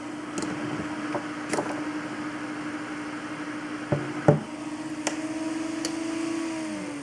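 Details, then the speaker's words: Stock H100i AIO cooler fan hard-mounted on radiator/table without grommets: steady low droning buzz with a few clunks as it's set down; fan vibration transmits through radiator, fans not pump cause the noise. "fans are actually almost all of the noise contribution to an all-in-one water cooler and if you have cheap fans and they'll make a lot of noise then that vibration can get passed through your radiator to your case and make very loud noises"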